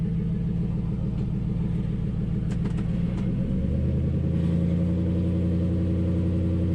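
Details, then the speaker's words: 2005 Nissan Titan idling after a Walbro fuel pump rebuild: loud open-pipe rumble at steady idle with a few light metallic ticks from the loose exhaust hanger left hanging up; exhaust hanger rattle. "woof that uh exhaust hanger i had hanging up is rattling"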